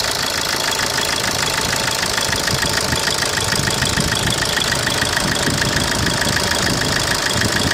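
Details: 2010 Opel Corsa D 1.3 CDTI diesel: sharp, fairly regular knock around 200 a minute over the idle; abnormal engine knock at idle, origin unknown.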